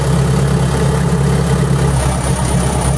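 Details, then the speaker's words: Perkins diesel runs rough with an uneven, wavering beat and starts blowing smoke; failing electric fuel pump (no 24-volt replacement pump on hand, only 12-volt) starving the engine, complaint of stalling and blue/white exhaust smoke, radiator not losing coolant. "is what happen and starting to blow some smoke if i PL this one again engine will be Okay"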